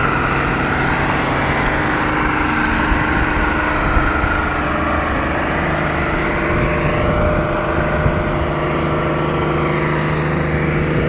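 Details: Diesel truck engine in runaway, screaming at a steady, very high speed with no dip or settling.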